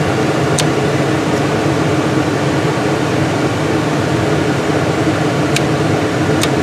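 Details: 1999 Dodge Durango with no blower (another shop had already replaced the motor, resistor, HVAC switch and ignition switch; the motor is guessed to be shorted): on the high test, a steady, even air rush with no whine, rattle or scraping. The blower runs normally.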